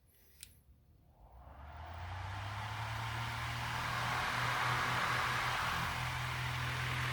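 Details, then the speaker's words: Lasko fan, USA-made, after drilling holes to cure shaking: spins up over a couple of seconds to a steady, even whir with low hum and no wobble; running smoothly. "it's not as shaky in my hand either it's not really twerking and tweaking"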